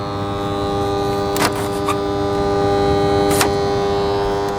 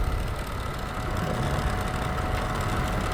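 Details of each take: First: Dehumidifier on the bench, reported to make weird noises and not always come on: constant electrical buzz with steady tones and a couple of clicks, fan blowing. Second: Dehumidifier that made weird noises, after its stuck-up shaft with excess play was pushed down with a screwdriver: even, quiet running hum with a faint steady tone and no rubbing or scraping; working properly.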